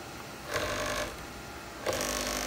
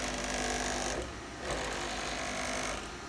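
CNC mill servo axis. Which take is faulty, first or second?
first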